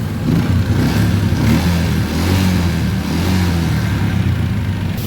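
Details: Yamaha Jupiter MX that wouldn't start even with new battery, starter suspected, fixed after reseating fuse: small single catches and revs smoothly with steady low throb, no starter grind; normal start and rev.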